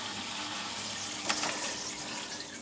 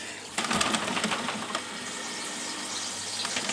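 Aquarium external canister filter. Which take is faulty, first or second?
second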